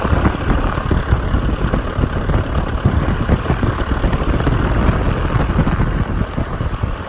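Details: 1946 J-3 Cub engine on its first ground run after a four-year restoration: a rough-textured but steady, even pulsing drone with no misses or knocks. Fuel lines took a minute to prime, then it ran great. Normal idle and run-up.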